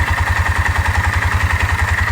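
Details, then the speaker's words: Four-wheeler ATV idling while checking fence, reported at 1100 rpm: steady even putt-putt about eight beats a second that sounds slower than stated; owner unsure why, suspects a broken part, shifts fine. "there doesn't sound like it's idling that fast to me but it said they're idling at 1100 rpm sounds like it's slower than that"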